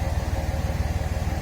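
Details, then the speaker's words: 5.9 Cummins diesel after the failing starter was replaced with a new one. Low, even idle pulses with no knocks, misses or rattles; the new starter sounds healthier than the old one ever did. "yeah that that sounds a lot healthier than my old one even when my old one is new that's what i'm trying to say"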